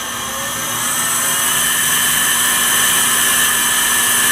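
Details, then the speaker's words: Campbell 750 CNC vertical universal grinder, spindle ramped in MDI from about 2,000 to 3,000 rpm: smooth high whine, steady and climbing with speed, no grinding or roughness; spindle bearings running clean. "That's not bad. We'll go up another 500 just to see where we can go with this. That's 3,000. Sounds pretty good."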